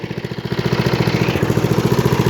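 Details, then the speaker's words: Craftsman LT1000 lawn tractor, 18hp Briggs & Stratton, freshly tuned up (oil, air filter, plug, fresh gas), throttled down to idle; even steady putter about a dozen beats a second, no misses or knocks: normal idle at reduced throttle. "reverse lay it's off lights are on purrs like a kitten"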